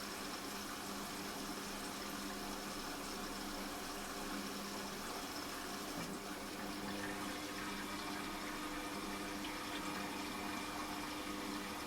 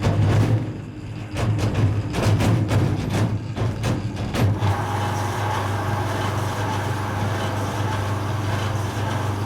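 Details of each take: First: Washing machine after fitting a replacement drain pump, water filled to the bottom of the drum and pump triggered on spin: steady low hum with rushing water and a faint even whine; the new pump runs smoothly and drains normally. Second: Creda 3730 washing machine, bought at auction and thought not sold in working order, front door trim missing and front seal thought gone: heavy irregular thumps hammer for about four seconds of drum spin-up, then settle into a steady low rumble; vicious banging start.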